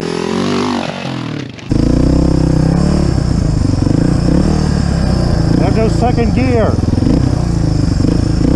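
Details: Suzuki DR350SE single-cylinder dirt bike, abandoned then revived, with valves cleaned and new parts fitted: fires up after a quiet start, settles into a steady thump with clean rev blips; now running well.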